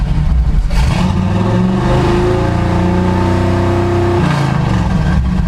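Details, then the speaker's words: Chevy C10 with a tuned carburetor, fuel pickup sticking on the tank's anti-slosh mesh causing stalling, restarted: revs climb smoothly to a steady high hold then drop back cleanly with no stumble or misfire; engine pulls evenly. "So now watch, it'll fire right up. Okay, perfect."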